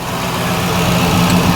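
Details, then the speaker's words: Mk1 Ford Fiesta Ghia 1.1 barn find, warming up on choke: even, steady low idle with a firm hum, no misses or knocks. Normal cold idle; the earlier no-start was put down to the plugs and a slightly seized choke cable stopping the butterfly closing. "well she's still going I don't want to mess with her just yet let her let her warm up a little bit"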